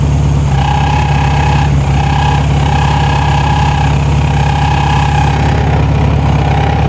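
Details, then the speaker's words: 1973 VW Super Beetle, first run after 20+ years off the road: steady air-cooled idle with a thin scraping whine as the cooling fan rubs its housing; then adjusted by tweaking the fan shroud and moving the strap. "I'm going to have to do something with the fan real quick it's not lik in the fan"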